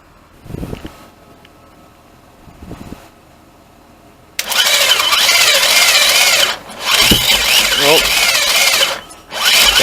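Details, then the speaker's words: Swapped 2.4 4g64 engine in a 2003 Lancer Oz Rally, started by touching the starter with power while holding the throttle open; fires loud and ragged for seconds, sags, catches, then dies. Solenoid not wired, owner says fuel pressure regulator needed to keep it running. "there she is there she is all right so obviously I need my fuel pressure regulator to keep it running"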